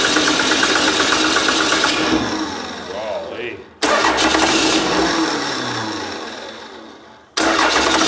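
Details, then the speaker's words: Old 12-valve Cummins diesel, stored almost a decade, on starting spray: catches, runs rough a couple seconds, dies twice; still not returning fuel, system may be dry, electric lift pump planned. Crank no start. "the the can of consent is just about out still not returning fuel so no that means it hasn't got any there yet system might be black"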